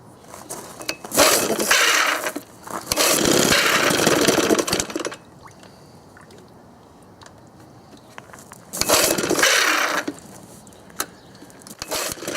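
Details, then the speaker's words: 1972 Johnson Seahorse 6HP outboard (6R-72D), first start in 20 years after fresh plugs and fresh fuel: two-stroke buzz revs up in strong bursts, drops to a quiet lull, then picks up again; fires and keeps running. "[Music] [Music] [Music] well there you go fresh plugs that fresh gas and she'll fire off every time"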